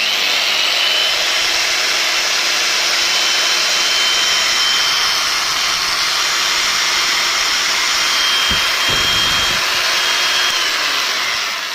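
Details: Old electric drill after switch replacement and regreasing of the gearbox: steady high-pitched motor whir with an even gear hum, no grinding or catching; runs normally, though brushes may need sanding to stop noise.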